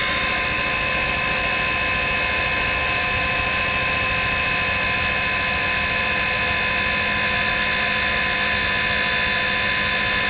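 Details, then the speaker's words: Ford 302 Cleveland engine idle 20 years, oil pump primed with a drill after draining water: steady high drill whine over a constant hum that changes as the oil thickens and is pumped through; normal oil pump priming. "you can actually have a listen to the drill it's starting to light up as the viscosity gets thicker because it's actually pumping oil through"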